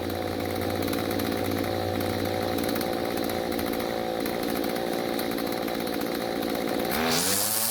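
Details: Stihl two-stroke string trimmer after carburetor tuning (L screw about half turn clockwise, H screw quarter turn counterclockwise, limiters removed): steady high, even buzz, then clean rev-up near the end; carburetor setting sounds about right.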